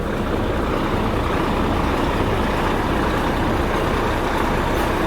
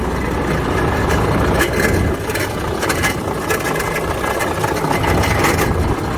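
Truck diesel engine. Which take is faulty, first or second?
second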